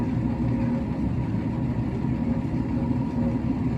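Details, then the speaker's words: Noisy coolant pump on a Webasto Thermo Pro 90 heater with a no-start complaint: steady low hum with a rough, churning rattle and no speed change; the pump is likely underperforming. "but that pump's not [Music] happy but I would uh I would certainly guess that that pump isn't running at full performance anymore"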